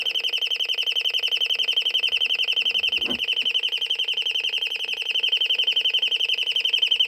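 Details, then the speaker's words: Royal Smoke, Gas and Fire Alarm, estimated late 1970s or 1980s, speaker-driven rather than electromechanical or piezo, switched off again: fast, even, high-pitched beeping at about four per second, steady and unbroken. It ran its test mode, and the alarm is working. "Nope. It did a test mode this time, which is good. That's cool. A test thing."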